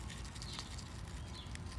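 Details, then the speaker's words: Fuel pump driver module from a 2004-2008 Ford F-150, mounted on the frame, shaken by hand: light, irregular rattle like sand and metal bits; moisture corrosion has broken pieces loose inside, module needs replacing. "but there's a bunch of stuff rattling shaking around in there sounds like little little pieces of sand little pieces of metal so obviously moisture has taken its toll on the inner workings of this module"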